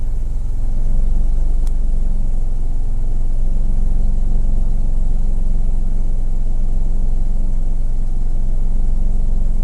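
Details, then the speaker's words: 2010 Mercedes GLK 350 V6 at idle, lumpy and uneven with a deep low throb; live counter shows many misfires on cylinders 1, 2 and 3, bank 1 only, with code P0017 exhaust cam retarded; owner suspects a stuck or gummed cam timing solenoid. "Shows lots of misses on 1, 2, and 3. It's definitely only running on half of the engine."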